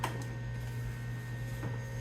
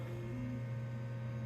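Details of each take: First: 1996 BeBox computer at power-on: steady fan and power-supply hum with irregular gritty crunches and clicks, as if something is spinning up; nothing shows on the monitor, and the crunching source is unconfirmed. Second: 1996 BeBox computer powered on after re-unboxing: steady low hum with even airflow hiss, no ticking or grinding as the fan comes on; normal cooling fan operation.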